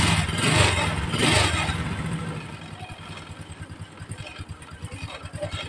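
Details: Honda Supra X 125 with a new clutch bell and centrifugal clutch shoes, after the clutch was reopened and oil refilled; after a brief rev it settles into an even idle pulsing about twice a second, no rattle or knock, smoother than before; normal idle.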